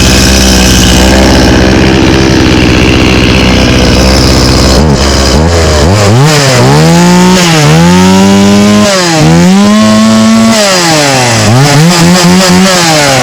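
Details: Stihl 018C 32cc chainsaw started on old gas: revs climb and sag repeatedly under throttle, a little boggy. The old fuel is suspected as the cause, though it started very well.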